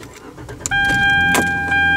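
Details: Hyundai start after a repair, checking whether the earlier noise returns: engine catches quickly and settles into a steady, even run with no grinding or starter whine; clean, healthy start.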